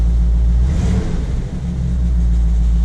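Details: 1975 Chevy C10 long bed, very quiet V8: deep, even rumble with a short throttle blip and smooth return, no knocks, ticks or misses. Healthy engine.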